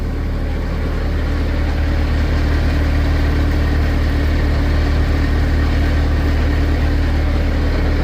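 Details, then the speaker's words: Skid loader diesel in about 20°F weather, running after much trapped air was bled from the removed fuel filter and line: loud, steady, low rumble with an even firing beat, no stumbles or misses. "So not cool, but we got her running now."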